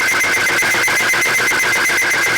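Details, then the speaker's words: Timken bearing test machine running Mobil 1 oil alone with two weights: steady piercing high squeal with fast rough pulsing; the oil film breaks down and the bearing specimen gets scuffed and torn up. "two weights right here m one PR go all out there supposedly and it's just getting tore up"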